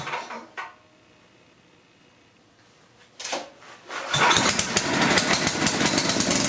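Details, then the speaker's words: Coleman Powermate 6250 generator, 10 hp Tecumseh engine, floodlights plugged in as load: brief crank, then a busy, even roar with no stumbling; runs fine under load. "fire up the generator and plug them in see how it performs under load"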